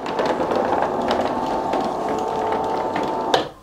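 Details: Newly replaced electric roller shutter motor while setting the upper limit stop: steady even hum about three seconds, then soft clunk and silence at the top stop; normal operation.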